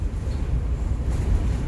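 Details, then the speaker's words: 2006 Ford E-250 service van driving, cab interior, after welding cracked cargo storage-bin mount that flexed at a bolt and washer: steady road rumble, high-pitched squeak gone, not whisper quiet. "It's not whisper quiet, but it's like that high-pitched squeak that was that's gone, and that was where it was cracked."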